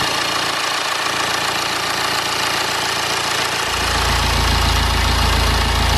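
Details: BMW N47/N57 diesel started after replacing the crankshaft pulley (damper), drive belt, tensioner and idler pulley: catches and settles into an even, steady idle clatter, no squeal or knock from the belt drive; running healthy.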